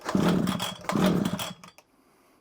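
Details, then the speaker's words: Old early-1980s Komatsu Zenoah Pro 26 strimmer, a non-starter: two pull-starts on choke give brief ragged firing, a bit of smoke from exhaust, then die; catches but won't keep running. "definitely fired I heard it a bit of smoke come out the back that definitely did something"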